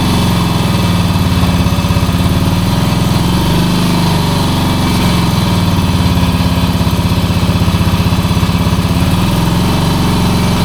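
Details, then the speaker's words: 1966 Honda C200 motorcycle, off the road since 1972: a loud, fast single-cylinder putter that stays uneven, with lumpy beats and small stumbles. It runs rough. "Oh, it don't sound well, but it runs. That don't sound well at all. It's not well."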